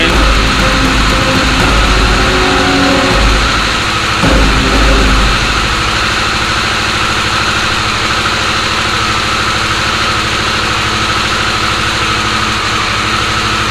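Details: Harley-Davidson Sportster S after its key-fob-drained battery was charged and the start code cleared: short rev blip, then a steady, even idle with no misses or knocks; starts and runs normally.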